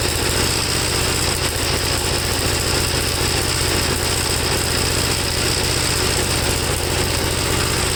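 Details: 1954 Gravely single-cylinder tractor, second cleaned carburetor, started without choke, engine hot: uneven, irregular firing under loud hiss and rattle; spark plug black, owner suspects fuel fouling from running too rich, cause unconfirmed.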